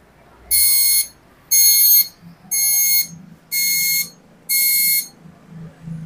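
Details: Epson LQ-2190 printer at power-on: loud high beeps about one per second, all lights blinking together and the head not moving at all; error alarm, possible causes include head or paper sensor, jammed mechanism, head cable, carriage or PF motor.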